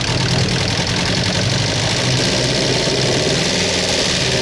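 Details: Ford Sierra petrol engine knocking at idle: a rapid, steady knock runs through its dull, even drone.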